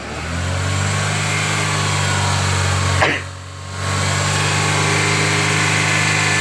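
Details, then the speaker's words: Honda Element after replacing the idle air control valve and throttle body, idle relearn held at about 3,000 rpm for five minutes until the fans cycle: a steady raised speed with a clean, constant hum, briefly masked by nearby noise. "wait two seconds then start it all the way and keep your rpms at 3,000 for how many minutes five minutes until the fans cycle on"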